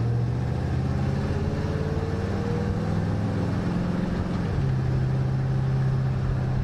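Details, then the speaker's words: 1968 Pontiac ambulance converted to an Aces Killshot throttle-body EFI with deceleration fuel cut-off, driven around the block: smooth, even drone that climbs and settles with the gears, no misses or knocks. Runs good, normal. "Hey, he runs good. Runs real good."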